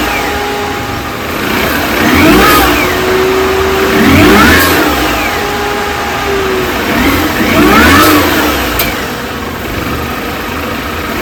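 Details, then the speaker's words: 2005 R53 Mini Cooper S after supercharger service, new gaskets and earlier timing chain replacement: blipped engine with a thin whining note trailing down as revs fall on lift-off; noise persists, cause unknown. "the noise is still there [Music] quite clearly here it's still making that uh making that noise so uh I'm not quite sure what that is"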